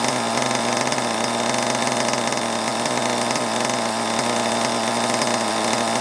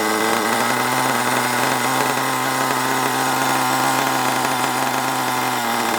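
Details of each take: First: Long-unused HPI Savage 21 nitro RC monster truck engine, unknown 20–30% nitro fuel, idling: steady high buzz sagging as revs drop, loading up with fuel and oil, close to stalling. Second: HPI Savage 21 nitro RC monster truck, old and long unused, after needle leaning and further tuning: high, buzzy engine holds a steady pitch with no stumbling or surging; runs evenly, though still needs a good drive.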